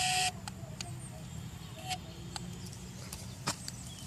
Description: Noise of the P2 Zenmouse Ginball when put at 90 degrees